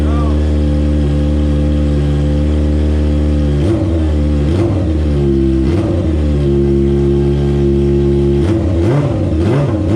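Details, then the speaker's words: 2002 Honda F4i sport bike, first start after getting fuel to it when the pump wouldn't prime: smooth idle with quick throttle blips rising and falling cleanly, very smoky; fires up and revs freely. "go let's go my gosh dude she is Smoky as hell as you guys can tell but she fires up"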